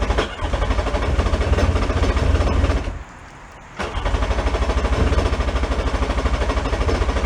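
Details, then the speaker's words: 1999 Sea-Doo jet ski, yard-sale find, water had sat in cylinders; choppy two-stroke rasp, cutting out and catching again; rough running, suspected water in exhaust manifold being pushed out. "should go sound like it wants to go I think the sound difference was it probably had water in the manifold and we just pushed that that water out of manifold"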